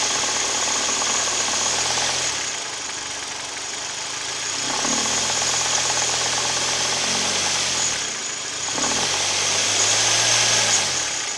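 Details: Hyundai/Kia G4KD Theta II engine at idle with AC compressor and heaters on, recorded from the cabin: steady light rhythmic knocking about 158 per minute that persists under load; owner suspects piston knock, not confirmed.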